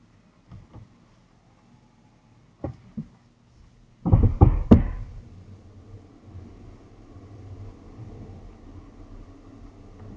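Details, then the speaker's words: Tesla Model X parked overnight in garage with damp rotors: quiet cabin, then four quick heavy clunks as it first rolls off, then faint steady rub of pads on rotors; owner suspects pads binding from rotor corrosion. "the next day when I go out there's it's almost like that pads are binding to the rotors for initially and so you hear basically for independent clunks just once and then it's fine"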